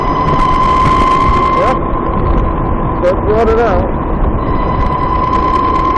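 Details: VX1 motorcycle, warmed up, climbing a small hill at lower speed under load: a high thin chirp near 1 kHz over road and wind noise; the transmission chirp is louder once warm and starts around 30 mph.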